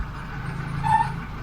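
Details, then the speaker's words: Ford Cortina Mk5 1.6 GL Pinto engine with Accuspark distributor, idling at 10° timing with advance pipe refitted: steady rumble with brief hooting tone near 900 Hz. Normal PCV valve drawing fumes through the rocker cover. "Now you'll hear a very strange noise, and it's not James. It's not a goose flying overhead."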